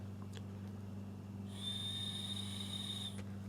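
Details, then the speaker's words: Briggs & Stratton Storm Responder generator (engine 21T212-0116-G1) carburetor float needle and seat blown through with no fuel; steady soft hiss where it should be closed and silent, needle not sealing, had flooded the block with fuel: air passing through open float needle. "and we do like this needle should be closed we should hear nothing and i do hear that there is air coming through so that needle does not seem to be working"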